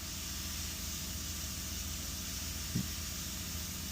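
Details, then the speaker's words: Chevy Tahoe after replacing faulty coolant temperature sensor (code P0128): quiet, steady idle with even low hum and light hiss; cooling fan no longer kicks on after 25–30 seconds, fixed. "Normally, the fan would have come back on within 5 to 10 seconds. And I can say wait over 25 to 30 seconds now. and the fan is not on."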